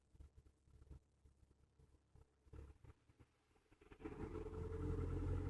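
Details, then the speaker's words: Hyundai Elantra cold start below 0°C coolant: engine speed climbs to about 1500 rpm when the car stops, drops to about 1000 rpm when rolling; high idle persists until coolant reaches operating temperature. "i come to a stop engine speed goes up to like 1500 i let off the brake not touching anything the car starts rolling and as you can hear engine speed drops right now is about 1000"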